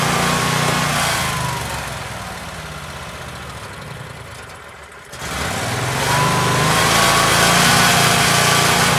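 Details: Generac Guardian Ultra Source 15000 W standby generator fired up after oil and filter change (Royal Purple 5W-30 full synthetic, Fram PH4967 filter, about 1.6 quarts): settles into steady even running note, no knocking or hunting; normal running.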